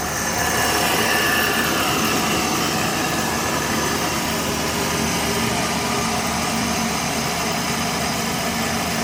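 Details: 2020 Jeep Grand Cherokee after RIPP supercharger install, stock tune, second startup warming up: steady, even idle with faint high blower whine over smooth hum; sounds healthy.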